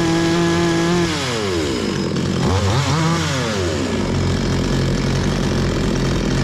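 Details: Bolat 5820 chainsaw, which had been stalling, after the air filter was cleaned and the stop button fixed: revs cleanly up and down, then holds a steady idle without bogging; running normally.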